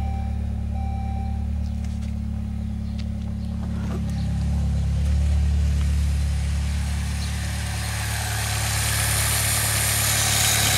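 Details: 2006 Saab 9-3 2.0T after valve cover gasket replacement and oil change with 5W-30, car on ramps, no oil pressure light: steady, even idle with a low smooth hum and no knocks or ticks; normal idle.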